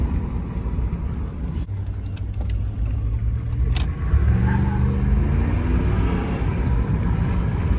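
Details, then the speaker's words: 2014 Ram 1500 5.7 Hemi V8 after fixing P1416/P0306 cylinder 6 misfire (MDS solenoid replaced, loose cylinder 6 spark plug tightened): climbs smoothly under throttle with no stumble or miss; runs perfect, no engine lights. "all right as you can see we're getting back and everything's good it's running perfect now"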